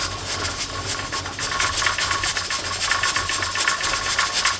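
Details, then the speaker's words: Presto pressure canner processing carrots, heat turned down to 4, pressure still above 10 lb. The weight rocks more slowly with soft, irregular hissing puffs a few times a second; pressure is holding normally. "see that it is slowed down considerably but we're still above the 10 lb it's still going"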